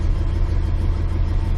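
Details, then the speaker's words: Big-block V8 car just started, warming up: deep steady low rumble, smooth idle with no knocks or misses; wind noise outdoors; normal warm-up idle. "this whole big block runs awesome I'm gonna let it run a minute and warm up"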